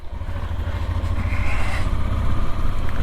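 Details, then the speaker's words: Honda Transalp on its first ride after a new clutch, rear wheel bearings, cush rubbers, carburettor balance and service, with roads soaking wet. A low, even engine drone with road and wind rush as it pulls away smoothly, no judder or snatch. "Well, I tell you what, just pulling away there, obviously the cush rubbers have done their job."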